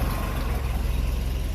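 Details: Mercruiser sterndrive after raw water pump impeller replacement, run on water muffs before gear oil is added: low, even idle in neutral with a steady thump and no knocks, misses or rattles.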